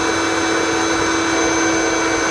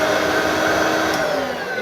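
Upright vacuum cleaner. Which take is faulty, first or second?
second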